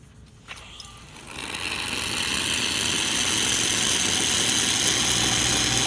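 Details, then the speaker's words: Lelit espresso machine after repair of zero pump pressure with a replacement pump: steady, even buzzing hum comes up within a second or two as the pump kicks on to refill the boiler, showing the water level probe works; healthy. "the pump kicking on, so you know the water level probe is functioning and starts to pump."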